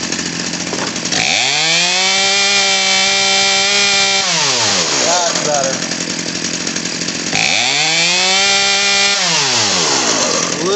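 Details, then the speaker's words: Craftsman 18in 40cc chainsaw (358.350810), new HIPA carburetor, after richness fix; revs climb sharply to thin scream twice, drop to fast buzzy idle; slightly lean, screw nearest air filter turned counterclockwise. "bit lean so going back to the one closest to the air filter going counterclockwise to touch more better"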